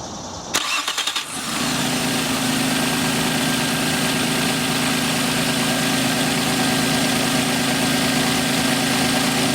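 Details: 1997 Nissan Maxima at idle during PCV valve test: quick start, then a smooth steady idle with a constant soft hiss from the PCV valve, which shows strong vacuum. The valve is working and healthy.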